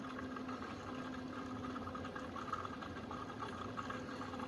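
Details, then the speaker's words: Rear-mount cooling system on first fill and bleed, electric pump running about 30 seconds: steady low pump hum with soft, even rush of water flowing through everything, no gurgling or leaks; normal coolant flow. "Yeah, looks good still. You can hear water flowing through everything."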